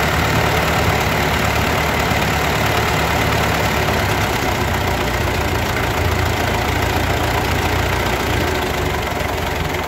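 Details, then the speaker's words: Ford 8N tractor, old four-cylinder, warmed up after governor adjustment and carburetor rebuild, idling very slowly (about 740) with idle mixture screw about three-quarters turn out: slow, steady low putter, even firing, no knocks or misses; normal idle. "I'm sitting here at idle at about seven four is just crazy slow this sounds plenty slow over anything I need to do"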